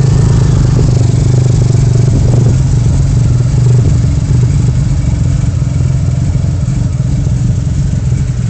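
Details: Vauxhall Vectra V6: low, lumpy note with uneven stumbles instead of a smooth pulse, a misfire; engine likely coming out for full rebuild, owner suspects a cylinder fuelling but getting no air intake.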